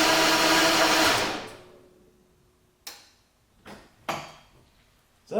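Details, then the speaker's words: 1989 Jaguar XJS V12 that won't run, cranked right after the battery was hooked up: about a second of steady starter whirring, never catches. Owner plans to rebuild the ignition amplifier; cause not confirmed. "all right so we've tried to crank the vehicle and we have a no start so we're going to rebuild that ignition amplifier"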